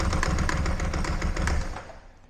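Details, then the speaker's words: Ducati 748 brought in not running, first start on 3 L fresh fuel: heavy uneven clonking about four a second over rough running, then dies away; debris in the oil makes a crank or main bearing fault suspected, not confirmed. "I also didn't make expect it to make those really, really horrible clonky noises. Um yes. Well, the good news is the bike starts. Just shut up. Uh the bad news is it does make a distinct clonky noise."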